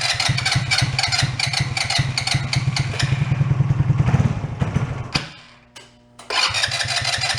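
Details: Two-passenger CVT ATV, believed 150cc, long idle; after draining odd green fuel from float bowl, long uneven cranking about three beats a second, pause, more cranking, never catching. Carb plugged, fuel starvation; old gas may not burn.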